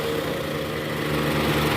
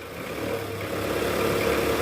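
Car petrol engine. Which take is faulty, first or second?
second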